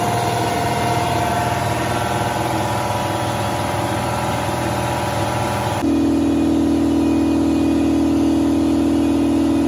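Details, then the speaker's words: Ingersoll Rand 60-gallon air compressor running with its original intake filter refitted, for comparison against a modified Solberg FS15075 filter housing that sounded deeper and more hollow but not quieter. Even pumping thump about four per second under a steady hum, no knocks; normal running. "i went ahead and stuck the original filter back on there and we'll fire it up and do a comparison here see if you can hear the difference on camera"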